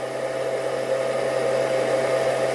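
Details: Freezer rated 115 V, 2 A, run on off-grid solar via inverter: steady hum with an even whir rising slightly as the compressor starts, then holding smooth; compressor running normally after earlier inverter surge buzzing.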